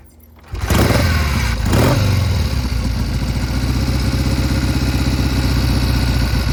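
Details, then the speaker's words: 1971 Triumph T120 650cc twin after carburetor pilot jet and adjuster work, test ride: engine catches after a brief crank, then settles into a steady, even twin beat with no misfire or stumble; runs well. "Sounds a lot better. Thing runs like a top."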